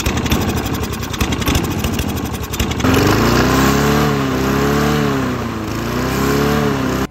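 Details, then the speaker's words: Toro push mower forced to run on diesel, pinned near full throttle: a small engine screaming with a fast, light ticking over the roar, running a little hot; engine ticking. "I hear it ticking. Girl's running a little hot."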